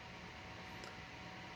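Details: Computer power supply, 300 W, under benchmark load: faint, steady fan hiss with no coil whine, buzz or rattle; running quietly, normal operation.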